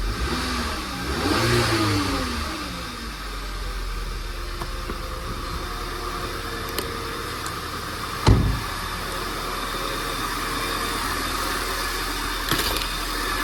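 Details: 2014 VW Tiguan 2.0 TSI (CCTA) after replacing the turbo-to-downpipe gasket: push-button start, engine catches quickly, blips and settles to a steady even idle with no puffing or hissing exhaust leak; normal, healthy start-up.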